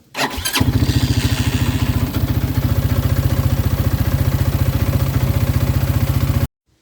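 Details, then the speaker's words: Bighorn 400/450 UTV started after fuel filter replacement, checking quick disconnects for fuel leaks: engine catches quickly, settles into steady even idle about four putts a second, no knocks or misses; normal start-up and idle. "and then I would go ahead and start it up before you put the bench seat back on. Just make sure there's no fuel leaking out from either one of those quick disconnects."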